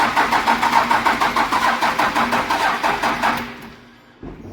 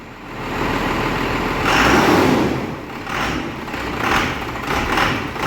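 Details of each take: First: 12-valve diesel hotshot truck: starter drags slowly, about three strokes a second, sagging and fading after three seconds; batteries dying and terminals needing replacement; slow crank from weak batteries. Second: 12-valve diesel hotshot truck in the shop, smoky, with a broken timing pin noted. After revving and cranking it settles into a steady, even clatter with no misses or hunting, called a perfect idle.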